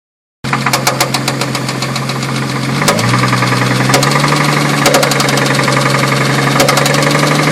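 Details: 2000 Ford Mustang, warm idle after 5-10 minutes of running, honey added to see if it helps: steady knock about four times a second over the engine note; owner suspects rod knock, unconfirmed.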